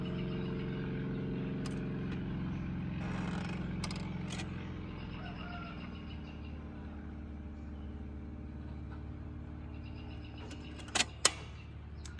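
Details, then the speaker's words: 1964 Montgomery Ward Airline portable record player, model GEN776A, changer cleaned, lubricated and armrest pad replaced with electrical tape, at 33 rpm: steady low motor hum, then sharp clicks as the arm returns and it shuts off automatically. "And then it automatically shuts off. Wow, amazing."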